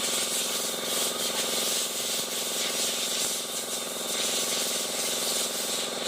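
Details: Honda i-DSI with a rough, steady grinding rasp from inside the transmission over a faint engine hum; vibration and delayed shifting also reported.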